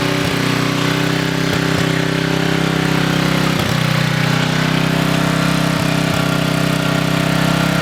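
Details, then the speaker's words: Coleman Maxa 5000 ER 5000 W generator after carburetor replacement: the single-cylinder engine holds a steady, even drone with no hunting or surging; running smoothly, about 5 minutes' run. "all right guys so as you can see here the generator did run I ran for about 5 minutes"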